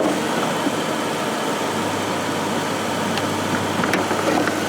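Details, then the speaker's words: 2000 Ford Crown Victoria, engine idling during AC refrigerant recharge from can: steady even hum, no cycling clicks or rattles; compressor staying engaged long, air now ice cold, normal AC compressor operation. "you can hear it's now reaching that level where the ac compressor is staying on for a very long time now long long draw down"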